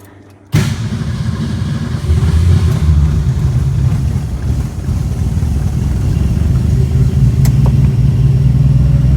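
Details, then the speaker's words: 1962 Ford Falcon with carburetor and manual choke set half on, electric fuel pump: fired right up on a hand-primed bowl with probably a couple gallons in the tank, ran briefly, faded and died; pump not priming, fuel starvation stall. "Fired right up. And died. Ay, this baby has no gas in her. It's not priming."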